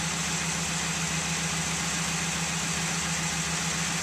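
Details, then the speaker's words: 2002 Ford F150, 5.4L 2V V8, cold start at idle on a winter day: an uneven rattling clatter under the steady hum, after exhaust gasket, timing chain and oil pump replacement; owner suspects piston slap, unconfirmed. "there's only one thing left that's making this racket and that's piston slap i've heard that a lot of 5.4 two valve engines have piston slap problems"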